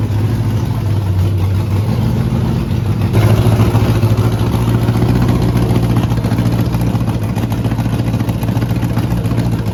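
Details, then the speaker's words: Rebuilt 5.3 LS V8 with Truck Norris cam, BTR beehive springs, MSD ignition box, after coil swap fixed misfire; deep idle lopes and wavers with brief rev blip, running rough and rich from a far-too-big race carburetor. "Uh the carburetor we have on this engine is way too big for it. Uh this is actually the race gas uh carburetor that we use to test our small block Chevys uh that we build in the big block that's in Alias right here. Um so it's obviously putting way too much fuel on it. So it's not running the best."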